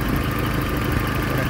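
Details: 1994 Toyota 22RE four-cylinder parts truck with loose belts and some hoses missing: low, even idle with smooth steady beat, no knocks or misses; engine idling fine.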